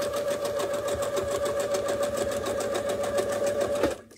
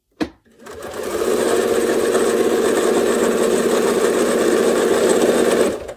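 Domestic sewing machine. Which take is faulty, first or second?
second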